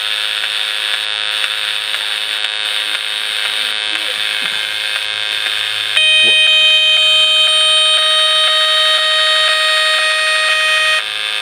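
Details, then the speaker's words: Cheap PWM solar charge controller in full-charge mode, heard via receiver; steady hissy buzz with fast clicks, then a bright stacked tone bursts for five seconds roughly every 20–30 seconds. "i say every 20 or so seconds maybe it's 30 seconds it does that and this is when it's supposed to be pushing through"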